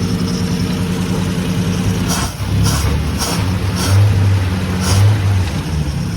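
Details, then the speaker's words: 1950 Dodge B2B truck flathead engine, parked 46 years, with new fuel inlet, hoses and filtered fuel, fuel pump working with no leaks: deep, even low rumble with gentle throttle blips and light ticking; smooth idle. "Fuel pump's working. No leaks. This thing is running amazing. Listen to that. That is the best yet. Unreal."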